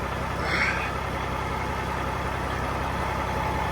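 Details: Cat 3406B diesel in a 1986 Ford LTL 9000 after an in-frame overhaul for coolant pushing and compression in the coolant. Rebuilt with an IPD kit (steel-top pistons, crevice-seal liners), new turbo and recored radiator. Steady, even idle with a deep low rumble, no knocking; running well.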